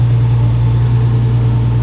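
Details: 1950s Ford Popular/Anglia with freshly built RB30DET and BMW 7-speed DCT, first start. Even, steady low drone with a clean unchanging beat, no knocks or misses; healthy crisp idle.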